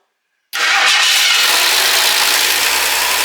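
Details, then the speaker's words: Fresh Ford 300 straight six in a 1954 International R100, first start, cold, float bowl primed by hand, timing guessed: catches instantly and settles into an even, smooth idle with no lifter clatter; healthy start. "Whoa, there we go. Wow. That took right off. I guessed on the timing."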